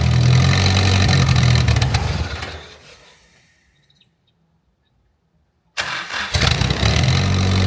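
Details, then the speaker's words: Mitsubishi Conquest turbo with 70k miles, just fitted with an aftermarket exhaust manifold after repeated cracked ones. It runs steadily, fades out, then restarts and settles to an even, healthy idle. "Sounds good. Sounds like it's worth all the work."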